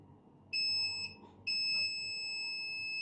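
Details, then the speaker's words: Laptop motherboard, multimeter on the capacitors by the startup controller: high continuity beep breaks off then holds solid, reading zero ohms; the 3.3 V rail is shorted to ground after the second MOSFET. "checking here you can hear the multimeter is beeping and this is zero zero ohms on the other side zero zero so so clearly zero again so clearly we do have a shot our 3.3 is shorted"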